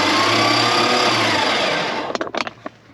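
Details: 1976 Dodge D600, small-block V8 (maybe 318), off the road since 2000: steady starter whirring about four beats a second, never catching; cranks with no spark, Hall-effect distributor sensor and crusty cap checked, coil reads 10.7 V.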